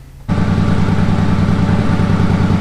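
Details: 1983 Honda Shadow VT500C, warm, engine temperature near center, just after replacing a bent radiator cap over coolant blowing from the overflow (head gasket first suspected): even, lumpy low-thump idle with no misses or stumbles, healthy.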